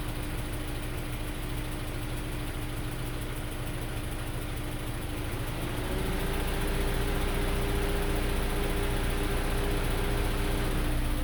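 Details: 2003 Honda S2000 idling with a light, even valvetrain tick about three times a second after an AP2 valve retainer swap and multiple valve adjustments; source not pinned down.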